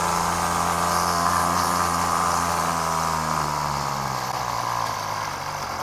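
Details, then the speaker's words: Aging two-stroke pull-start strimmer with a sticky choke, off choke: sluggish buzzing note sinks in pitch and fades as the engine struggles and dies; clogged carburettor jets, carb to be stripped and cleaned. "just it just died they can't cope with it so let's strip that card down see if we can clean out those Jets and get it running properly"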